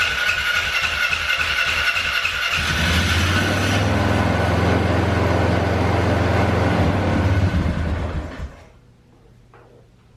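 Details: 2012 Polaris Sportsman 400 HO that bogged down and died, after carb fix; starter cranks briefly, engine catches and settles into steady even idle without stalling; runs fine.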